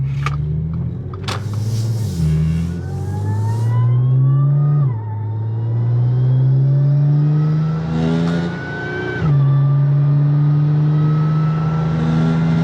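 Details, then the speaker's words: Audi S4 B8.5 driving after shop replaced worn wheel bearings (~100k miles): engine rising and falling through gears with smooth shifts, no hum or growl from wheels; bearing noise gone, bearings quiet. "Better. That sound is gone, thank God."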